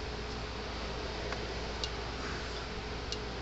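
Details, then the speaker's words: Gallagher M400 electric fence energizer after capacitor repair (dead capacitor stopped it powering up): faint sharp ticks about every second over quiet room hum; pulsing normally. "this is just that capacitor i thought i guess it was totally dead that's why it wouldn't come on"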